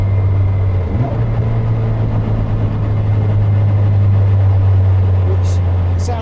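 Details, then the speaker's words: Caterham on a freezing November day: steady low droning buzz from the gearbox while slowing down, usually worst in the 1:1 gear (fourth in a 5-speed, sixth in a 6-speed); normal gearbox vibration on deceleration. "which typically comes on as you're as you're slowing down and it's usually worst in whichever ratio is one for one"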